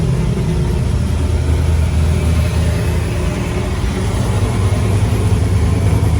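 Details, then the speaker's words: Freshly installed replacement LS1 V8, first start after the old engine threw a rod through the pan, fuel system primed: choppy, loping idle with an uneven low thump from a big cam, no clacking or knocking; running healthy. "oh man she's running she's chopping here i come drift event"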